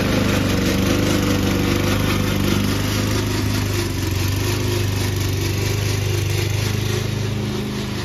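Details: Old Toro Recycler mower cutting Kentucky bluegrass, binaural recording, before fix: steady engine under cutting load with a loud, busy rattling clatter from the dry drive system; the noise was later solved with WD40.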